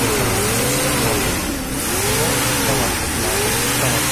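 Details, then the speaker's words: Nissan Caravan/Hiace van on gas kit, after repair of misfire, vibration, poor pickup and tick-tick sound: engine picks up cleanly as throttle rises and falls, even steady note with no misfire stumble or ticking; running properly. "তো আপনি লক্ষ্য করলে বুঝতে পারবেন সাউন্ডটা কত তফাৎ হয়ে গেছে এখন, ভিতরে আগে কিরকম ছিল কিরকম।"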